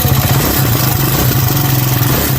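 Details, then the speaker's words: Motorcycle engine running: rhythmic metallic tapping over a low thrum that changes as the throttle opens and closes, valve noise (valve clatter). "Este primer sonido es ruido de válvulas. Es metálico y rítmico y cambia cuando aceleras y desaceleras."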